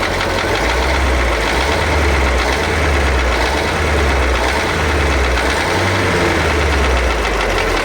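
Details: KAMAZ YaMZ-238 diesel being blipped: a heavy, low, rhythmic thump under the clatter. The owner hears cylinder 7 (and slightly cylinder 5) differ at the injector lines and may pull the injectors. Engine knock.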